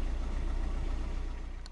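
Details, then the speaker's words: 15-year-old car started after an oil change with a new SCT filter: steady even low idle with smooth beat, no knocks or ticks; oil pressure warning light went out, pressure normal, everything working. "Всё, лампочка погасла, давление нормальное. В общем, всё работает, проблем никаких нет."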